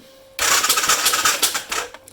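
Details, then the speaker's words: Arctic Cat 550 XR: starter turns the engine fast and light with an uneven clattering and no compression strokes after ATF was poured into the cylinder; it won't fire, piston can't be felt moving, owner suspects timing chain. "there's a curious sounding noise going on and we've got no compression so it could be all manner of things"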